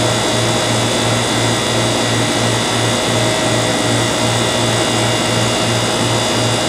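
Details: Airtemp CIV08S2AC 7,600 BTU casement air conditioner cooling, output stable at 36: loud steady hum and airflow with a soft even low throb, no rattles or squeals; good charge, though airflow is weak and probably needs cleaning. Normal operation.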